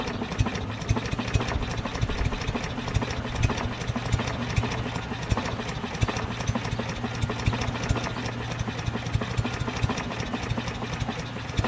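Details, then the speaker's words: Craftsman push mower with a Briggs 550EX engine that ran great last year. The carb was cleaned before, and debris and water were found in it. Small single runs uneven and lumpy, stumbling irregularly, won't rev up; rough running, cause unknown. "i don't know seems like what's one of those head scratcher engines now this thing ran great last year no idea what's wrong with it"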